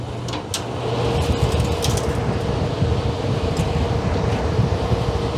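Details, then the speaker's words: Evaporative cooler turned on after a new water supply was hooked up. Smooth, steady fan rumble with a faint even hum from the running pump, no rattles or scraping; mechanically fine. "I think I hear the pump running. The pump is running. So mechanically it's fine."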